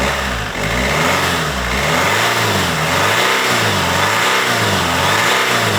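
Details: BMW 120d E87 with the M47 diesel after replacing all four glow plugs (fault code on cylinder 2) and cleaning heavy carbon from the inlet manifold and EGR valve: catches quickly, then even revs about once a second with steady clatter and no misfire. Normal start and rev.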